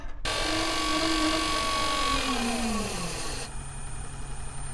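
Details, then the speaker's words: Marco bronze gear pump supplying a boat's domestic water, during bleeding after fitting: whine wavers and slides down in pitch with a rough hiss, then settles lower; the pump's monitoring flags air entering the suction. "The pump's monitoring has told me there's a problem. There's air coming into the pump. I've just got to find out where from."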